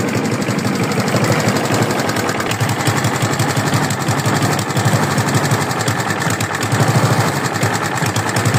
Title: I got this mower for free. I need help from you, is it rod knock or not. Thanks for info.😊